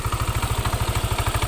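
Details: Yamaha NMAX idling: rapid, even knocking from the CVT at about twelve a second, present when the aftermarket billet headlight loads the charging system and gone when it is switched off; cracked variator slider piece.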